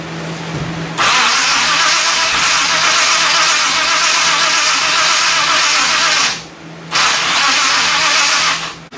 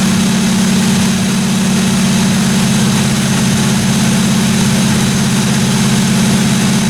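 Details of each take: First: 1957 Chevy 210 with Edelbrock carburetor fed from a gas can: two long cranking bursts and it never catches. The accelerator pump squirts no gas on throttle, so no fuel reaches the engine; no-start. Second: 1957 Chevy 210 project car at idle during its first-run camshaft break-in of about 20 minutes: even, steady idle hum with no valve-train ticking or clatter; engine running cleanly, normal idle.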